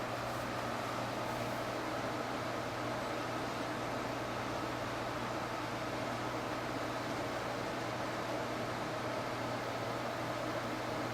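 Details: Inkjet printer: steady hiss with low hum from the print head during head cleaning or auto maintenance, followed by error counter reset, repeating for 1-2 hours before it prints normally.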